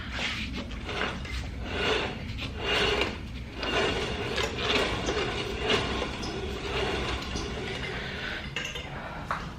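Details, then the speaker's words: Ford Fox-body car off jack stands after about five years stored, wheel spun by hand while checking for seized brakes: slow spin with a light metallic clink about once a second, something loose bouncing behind the lug nut center cap. "it doesn't sound good oh no that's just something bouncing around behind the lug nut cover center cap"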